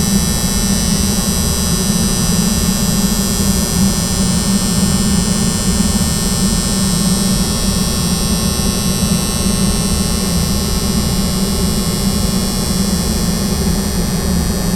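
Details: AHU soft starter: strong, constant low hum with a buzzy edge, unchanging; loud electrical humming from the soft starter, cause not clear.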